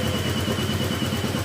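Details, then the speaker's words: Honda Click 125 scooter at idle with the pulley removed; a steady, rhythmic tug-tug knock with a gritty grind underneath, from inside the engine. It is said to clatter worse with the pulley fitted. Suspected wrong or misassembled internal parts. "Lalo pag nakakabit to, pag nakakabit yung pulley, kung ano yun yung tunog ng kalampag, ganun yung tunog."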